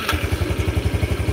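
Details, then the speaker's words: Yamaha Jupiter motorcycle after an engine rebuild with a bigger piston, stripped crankcase threads repaired; connecting rod and crank bearings not replaced: quick even thumping at steady idle, no knock or rattle; muffler has loose internals; normal idle. "Ini sudah suara mesinnya sudah lumayan halus. Mungkin di audio HP akan terlalu terdengar pada satu titik, tapi secara umum ini wis seperti Jupiter pada umumnya."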